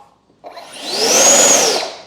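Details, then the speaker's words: FMS F/A-18 Hornet 64mm ducted fan electric jet: high fan whine swells, then spools down quickly after throttle cut with ESC brake enabled; normal braking. "that's breaking look at that thing stop"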